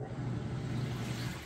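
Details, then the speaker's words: Samsung king size top-load washer without center agitator, bottom plate creating vortex, heavy towels load; deep even churning rumble with water sloshing, nice strong agitation; normal agitation. "but as you can hear it's got a nice strong agitation"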